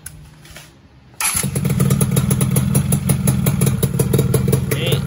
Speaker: bisa dibilang adem loh. Ini suara mesinnya halus banget.